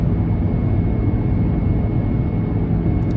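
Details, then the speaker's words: Volkswagen Lupo accelerating hard in fifth gear on the road: a thin, steady high whine over the low road rumble. The gearbox whines under load; cause unknown, and a gearbox oil change about two weeks earlier did not cure it. "you're going to notice now in a moment is the terrible whine out of the gearbox when you put it into fifth gear."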